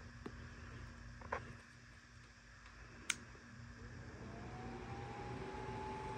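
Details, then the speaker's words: Panasonic microwave blower motor F401W6Z80AP, rewired with a 6 µF capacitor, run on the gray wire at its lowest speed: quiet, soft hum slowly rising in pitch as the fan spins up, with no scraping or rattle; normal low-speed operation. "and here's the gray this is the lowest"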